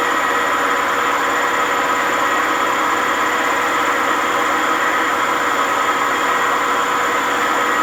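A loud, steady roar with a hard rumbling rasp through the high-speed spin, no letup; worn drum bearings.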